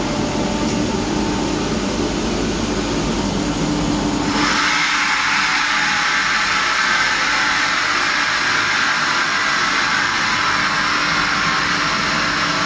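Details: Kaeser ASK 35 screw compressor, built 2013, fully serviced, 3,000 hours, up to 11 bar into a 1,000-litre receiver: start-up near four seconds, then steady airy rush with faint fine whine; running healthy.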